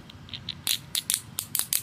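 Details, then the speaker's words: Mercedes M272 timing chain tensioner after manual reset, reinstalled and torqued, engine rotated backwards then clockwise one full turn by hand: string of sharp dry metallic clicks as it ratchets out normally. "And then you rotate your engine clockwise one full turn and you'll hear it ratchet out. You'll hear that noise right there."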